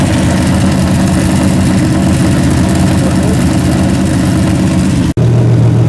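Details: Freshly rebuilt 406 small-block V8 with open plenum, during 15-minute break-in at about 5 minutes: loud deep even rumble at steady fast idle, no knocks or ticks; healthy, may need a bigger carburetor.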